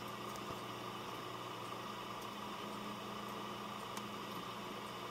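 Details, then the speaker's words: Dell Optiplex GX280 SFF desktop, Pentium 4, idling on a fresh Windows XP install: soft, steady fan hiss with faint low hum, mostly the power supply fan, no rattles or surging; healthy and quiet. "A lot of the noise you're hearing is the power supply fan."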